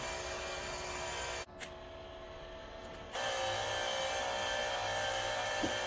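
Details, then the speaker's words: MIG welder first-time setup on 110 V with a 10-gauge drop cord, set at 195, tip and nozzle removed; the feed motor starts slowly, then settles into a steady hum while feeding wire; normal wire feed. "it's got a slow start on it but you hear that and now it's running it's feeding it through"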